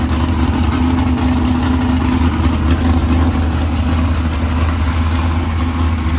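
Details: 769hp 409ci Ford 351 Cleveland on engine run stand, after starter grinding fixed via bracket without bell housing: strong, even low rumble at idle, no ticking, knocking or grinding; sounds healthy.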